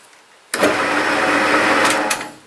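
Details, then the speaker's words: 1950s Meddings Pacera MB2 bench pillar drill with new Beatson imperial motor and newly fitted NVR switch: smooth steady hum for about two seconds, then clean wind-down when the plug is pulled; it won't restart on replugging, as intended. "if I put the plug back in machine won't start job done okay well so it works"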